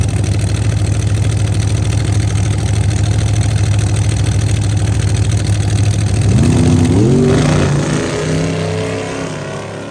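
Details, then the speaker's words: Race car after no-prep racing, with a broken part shooting fireballs from the exhaust and the headers glowing: a loping, uneven idle with missing pulses that sags as revs drop; rough running with a misfire, cause unknown. "This thing sounds like old man's dump truck after Bucko didn't put the spark plugs back in it."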